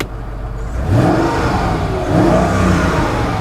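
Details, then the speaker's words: Luxury SUV with 45,000 miles, roughly 730 days out of service with very little use: even note climbing cleanly through two throttle blips, no knocks or rattles; normal start and healthy rev. "but in that time it's done like no miles and yeah the the engine is sweet listen to"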